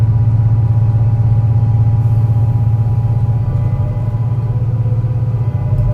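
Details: Torrens Transit Adelaide bus #757, MAN NL202 on CNG with ZF Ecomat 5-speed automatic, climbing hilly G21 route to Aberfoyle Hub under load; deep labouring drone with uneven stumbling beat about two per second: bad engine misfire under load.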